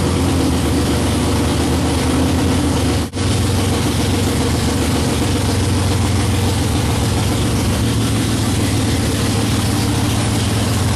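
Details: '55 Chevy hot rod, 454 big-block, 14.5:1 compression, iron heads, 5500 stall, first fired after sitting 25 years, idle and timing not yet set: deep choppy, unevenly loping big-cam idle, otherwise steady; healthy.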